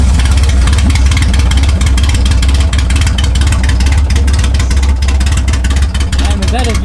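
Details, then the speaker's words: Freshly K-swapped Honda EK (K24) just cranked over after grounds tightened, with coolant added and oil checked: loud low exhaust rumble with uneven stumbling beat, choppy idle; owner suspects injectors or injector pigtails, not confirmed. "what's up guys so as you guys saw right now we got jesus card to crank over but it's running a little bit choppy um it's probably the injectors"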